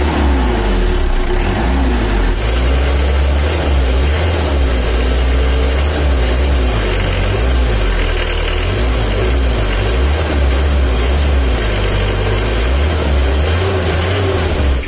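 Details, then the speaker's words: Brand-new factory-standard Mitsubishi L300 diesel, after tuning for more power and to reduce heat on the highway; low, even beat with revs rising and falling quickly, dry crisp note, responsive throttle, no knocks; normal running. "hasilnya setelah kita setel suaranya udah agak kering nah ini kering suaranya gasnya pun juga responsif"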